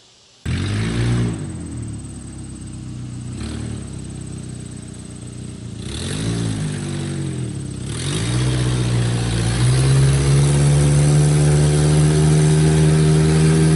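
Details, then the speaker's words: 1996 GEO Tracker with low power, running with the O2 sensor removed to bypass exhaust: raspy, loud exhaust note rising and falling with revs, open puffing leak at the sensor port; maybe slightly more power, though maybe just from the extra noise, catalytic converter apparently not the cause. "it may be run a little bit better and have a little bit more power but then again maybe that's just because it's making more noise"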